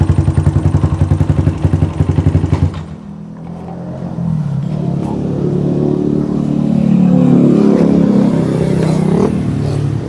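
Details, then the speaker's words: Yamaha Jupiter MX motorcycle, previously dead and hard to start, after replacing vacuum part: idles with steady even pulse, revs up smoothly and cleanly — normal idle and revving. "bisa hidup ya, Teman-teman. Motornya sudah bisa hidup."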